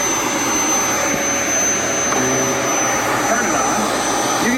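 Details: Dyson DC07/DC14 vacuum with a new, properly working clutch installed; steady even motor roar with brush roll spinning smoothly, no grinding or slipping. Normal running.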